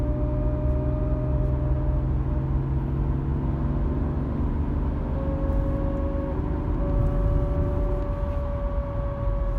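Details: BMW E36 driveshaft center support bearing, aftermarket Febi 01846 with under 1000 km: low rumble with a faint steady whine and slight grinding. When cold it howled from about 40 km/h, fading after a few km. A genuine BMW 1226731 replacement was silent.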